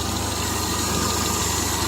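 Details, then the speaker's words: 1975 Triumph Spitfire after smog removal and timing set by ear, air box off: warm idle with steady beat but occasional uneven stumble. Idle miss. "yes as you can see it did change it putting the airbox on running a little rougher"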